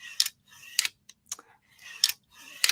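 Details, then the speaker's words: Würth Pro ball-bearing drawer slide opened and closed twice: short, soft rolling strokes with light clicks at each stop, about half the decibels of a standard slide; quiet and smooth. "much literally half as many decibels as the other one"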